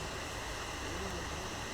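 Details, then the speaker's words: MacBook Air 2019 (A1932), stuck at the Apple logo and shutting off when USB-C is unplugged: constant loud airy whoosh with the fan at full speed though the machine isn't hot; the middle of three battery cells was found swollen. "Coba kita kita dengarkan di suara kipasnya, ini mulai kedengaran ya. Dia seperti kencang mutar kipasnya itu, kayak panas berlebih, sedangkan dari MacBook kan dia nggak panas ya."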